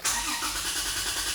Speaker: It just cranks and cranks and cranks and cranks, and the engine doesn't fire. That's what I mean by cranking and not starting.